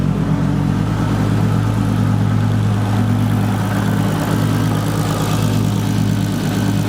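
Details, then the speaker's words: VW Mk4 R32 twin turbo at idle after the accelerator pedal was wired to the ECU: steady low idle holding together well, only a faint unevenness left, much better but not perfect; it still idles oddly when revved. "there we go now it's not perfect but it's a lot lot better listen to that"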